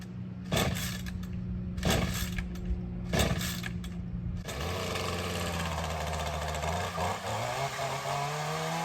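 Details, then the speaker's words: Ryobi CS30 two-stroke string trimmer, cold start on new HiPA aftermarket carburetor, untouched since tuning, primer not yet used: three quick pull-start tugs, catches, settles into steady even idle, brief rev. Healthy cold start and idle. "We're gonna see how this carb does on a cold start and show it kind of being used around here. So let's see how that tune held up."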